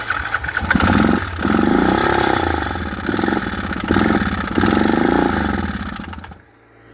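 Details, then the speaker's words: Yamaha Grizzly 700 ATV starts, runs a few seconds rough and uneven with harsh mechanical clatter, then stalls; abnormal engine noise, cause unconfirmed; valves checked, clutch suspected next. "We got it running just a little bit. She starts up and then she dies. Makes some terrible noises."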